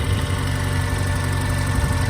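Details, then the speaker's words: Mazda Miata that had been running on three cylinders, just after the bad fuel injector was replaced and before warm-up: steady, even idle rumble with no sputter. It runs normally, with a slight valve tick noted. "I'll give it a chance to warm up, but then that's the best I've heard it running in a while."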